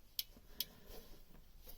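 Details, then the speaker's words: Beta 38 narrowboat diesel, new alternator pulley turned by hand with engine off while tracing a tapping rattle: a couple of light crisp ticks from the brushes inside, bearing feels fine; normal alternator brush ticking. "What's that noise? That's just the brushes inside."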